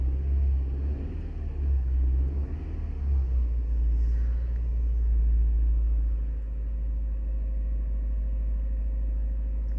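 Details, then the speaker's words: 2009 Toyota Corolla 1.8L, manual, code P0304, suspected burnt valve, sat a month: low idle rumble with irregular skipping beat instead of even pulse; cylinder 4 misfiring at idle. "that cylinder 4 is misfiring right now right there that one spot"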